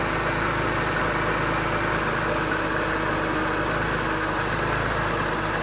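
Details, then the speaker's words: 2001 BMW M3 with over 200k km, cold start after a week sitting, idling just above 1000 rpm, heard under the hood: smooth, even, very quiet hum with a steady low pulse and no ticks or knocks, a normal cold idle. "let me show you the underneath the hood very quiet so this is underneath the hood the car is on very quiet"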